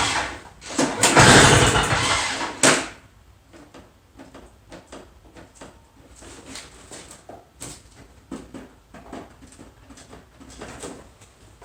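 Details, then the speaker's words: Two-stroke Toro snow blower, fuel in tank, key on, primed, full choke: one long recoil pull whirs about two seconds, then rattles and handling noise, never catches; no-start. "yeah i'm questioning that guarantee i'm not sure it's going to start after all let's try a halfway joke"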